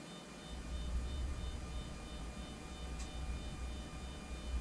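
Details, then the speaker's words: Anycubic Photon Zero resin printer after the fix, leadscrew nut flipped to stop a Z-axis squeal: quiet even stepper hum with faint steady high tones, no squeal even when pushed on, where before it squealed badly; smooth normal Z-axis travel. "Even pushing on it, it doesn't squeal anymore. If you pushed on it before, it would squeal like crazy."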